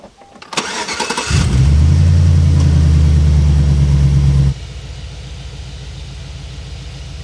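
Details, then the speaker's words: Chevy Vortec V8 truck (GMT800, 4.8/5.3/6.0) after replacing a bad starter solenoid/starter motor: quick even crank of three to four turns a second, engine catches cleanly and settles to steady idle; normal cranking and start. "Oh yeah, it's running good now. Got that starter replaced all the way down in there, no problems."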